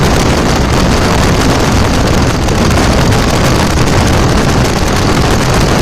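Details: 2000 Dodge Ram 2nd-gen Cummins diesel idle after the AC compressor pulley was bypassed with a 65" non-AC serpentine belt: steady, deep rumble over some wind, no knocks, squeal or belt chirp; normal healthy idle.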